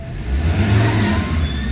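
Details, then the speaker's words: Ford Ranger 3.2 diesel after an engine treatment, aircon on: deep rumble swells cleanly on a quick blip and holds strong without stumbling; engine judged recovered with good compression; normal throttle response. "So responsive agad siya. So ibig sabihin malakas yung compression sa loob. Ayan oh. Mas lumakas na siya ngayon guys."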